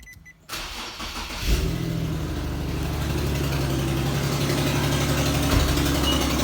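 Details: 2010 Infiniti G37S coupe petrol V6 cold start: cranks, catches, settles into cold idle with a steady knock about four a second; knocking on startup goes away after about 20 seconds, cause unknown.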